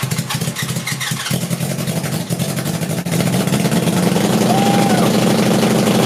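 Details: Go-kart with 1980 Honda CB750C four-cylinder engine, swapped to two Mikuni 34mm carbs each feeding two cylinders: lumpy uneven beat steadying somewhat as revs rise; suspected not all four cylinders firing, though all plugs showed decent spark.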